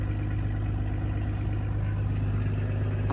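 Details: Ollie Ollerton's Pinzgauer after major repair work, all-wheel drive just engaged before a test drive: steady, even low rumble at idle with no knocks or misses; engine sounds healthy and settled.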